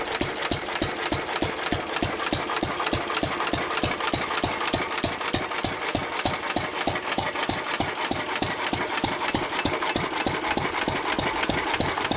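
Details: 1923 3.5 hp Emu (rebadged Hercules) stationary engine, restored early 1980s, first start in 20+ years, after oiling a sticking magneto/exhaust valve linkage: even steady beat about three firing knocks a second, crisp exhaust pops, no stumbling; normal hit-and-miss running.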